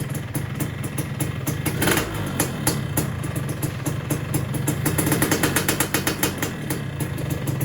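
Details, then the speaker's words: Suzuki Satria two-stroke after a magneto swap: a ragged crackle with stumbling beats that won't settle to idle; the mechanic suspects the ignition timing is too far advanced. "Kita coba pijit yaah malah mati Anjir"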